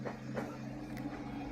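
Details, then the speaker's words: New Kingroon KLP1 CoreXY Klipper 3D printer makes whining stepper tones with scattered clicks and rattles as the head moves, sounding harsh. The print has already layer shifted, and front-to-back motion felt chunky at setup. "this sounds horrible it's already layer shifted all right"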